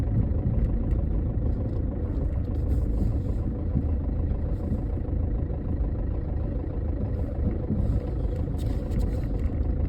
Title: 2011 Chevy HHR rough idle and slow speed noise with P0011 code